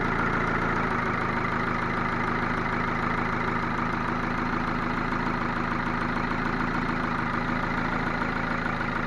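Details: Ford Focus 2 1.6 100 hp after rebuild (block bored +0.5 mm, new pistons and bearings), idling: repeating knock roughly three per second over the engine note, cause unknown.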